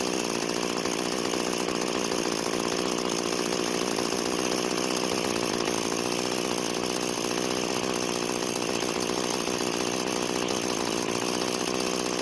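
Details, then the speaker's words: Free curbside two-stroke string trimmer, started without choke after suspected flooding: buzzes at a flat, steady idle and revs never climb because the throttle cable came disconnected. "so so the throttle doesn't seem to be working and after taking a look around it looks like the throttle cable got disconnected"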